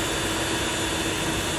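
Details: Small pressure washer after replacing pressure O-ring and pressure switch and flushing system (previously sprayed then cut out): constant steady hiss, even motor hum, no surging, hose not jerking; holding pressure, running normally.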